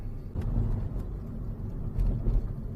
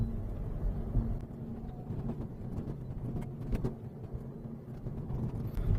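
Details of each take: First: Manual-transmission Mazda driven over bumps after the exhaust heat shield was trimmed: low, dull road rumble with soft thumps and no metallic rattle; the rattle was later traced to the rear bumper with worn clips. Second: Japanese manual car (Mazda), old, driving over small continuous bumps: loose irregular rattling that is silent on big bumps or when parked. Exhaust heat shield suspect ruled out; tying the rear bumper stops it, showing worn clip holes on the rear bumper.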